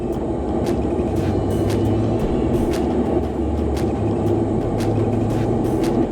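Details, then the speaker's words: 2017 Lennox rooftop unit, ultrasonic leak detector held on the leak spot at evaporator coil: constant rushing hiss with faint crackles; refrigerant seeping out with R-410 charge still in system, evaporator coil to be replaced. "There's your leak. So we're gonna have to replace the evaporator coil."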